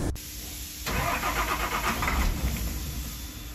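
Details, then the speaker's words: 2003 International 4300 with DT466 diesel, towed in as crank no start, no fault codes, fuel pressure good; starter turns engine over steadily for three seconds without firing. Faulty aftermarket cam sensor; fired right up with a test sensor. "the cam sensor is faulty as you can see they've already replaced it but the problem is they replaced it with an aftermarket one they didn't go OE that was the issue"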